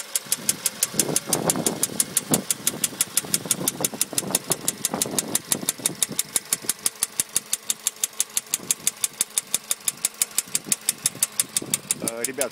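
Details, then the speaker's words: Late-2013 VW Polo Sedan 1.6 CFNA, warm idle, 834 km after warranty piston replacement at 27,500 km: sharp, evenly spaced rapid metallic internal knock; source unknown, owner returning to dealer. "сейчас я запущу двигатель двигатель у меня уже прогретый и уже сейчас слышен этот стук"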